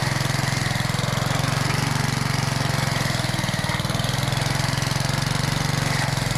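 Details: Old Rover lawn mower, first start after sitting 10 years, with the primer bulb refitted and primed: the small single-cylinder engine runs with a quick, even putter at steady speed, with no misses or surging; sounds healthy.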